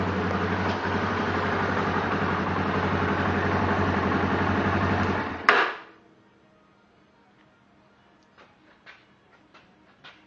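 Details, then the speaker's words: 2008 Yamaha Raptor 350 with completely rebuilt engine (new bearings, crank, piston, bore job); small click at startup, smooth quiet idle, then one sharp clunk as it shuts off; knock at shutdown, cause unknown. "Small click when you start, and a knock when it stops."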